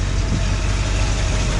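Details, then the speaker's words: Truck with newly installed crate V8, manual choke, already driven that morning so partly warm: smooth, even idle with a steady low rumble, no knocks or misses; healthy engine. "It does has like a manual choke on it. You got to keep your foot on the accelerator until she warms up."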